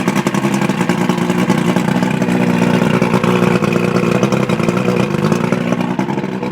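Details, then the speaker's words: 1980 Skeeter bass boat outboard, carburetors cleaned and spark plugs replaced, started in neutral on choke; catches, settles into even idle, revs cleanly with steady firing, no misses or knocks. Normal idle and rev. "And as you can hear, engine runs great, and we hooked it up, and I guess the fuel mixture's right, and I didn't have any problems. I didn't hear any problems at all."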